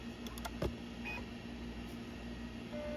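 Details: MiniScribe 20MB SCSI stepper-motor hard drive, made summer 1989, in a Mac SE being initialized: a quick run of sharp clicks and chirps as the heads step, then a steady low hum. Normal stepper seek noise.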